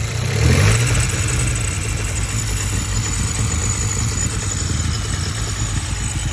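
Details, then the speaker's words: VW Golf GTI running cold, fault only when cold: rough, uneven misfiring with dull rumble and a light metallic rattle seemingly under the high-pressure fuel pump; owner suspects fuel starvation or the camshaft, unsure. "there's a horrible noise coming from it sounds like under the high pressure fuel pump so maybe the camshaft i'm not really too sure this moment in time"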